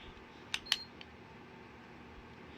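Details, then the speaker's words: Lasko tower heater run from its remote (two AAA batteries), started on oscillate/recirculate: two quick high beeps over a faint fan hush, then it starts turning. The remote command and oscillation work normally. "i'll just start with the circulate and you heard it beep and it starts turning so that's a good sign"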